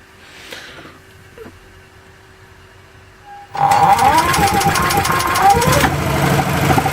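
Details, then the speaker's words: Small engine converted to LPG/natural gas with zero-pressure regulator and new NGK spark plug, cold start under grid-tie inverter load: catches and runs steady and even, no misfire; normal running, though misfiring later appeared once hot. "So as you can see from that, it cold started no problem, it ran really well."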